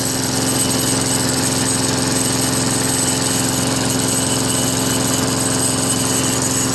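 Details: Craftsman Eager One 4 hp Tecumseh push mower, 20-inch cut, after carburetor replacement: steady, even single-cylinder putter at constant governed speed, no misses or surging; running normally, with some unexplained sheet-metal rattle.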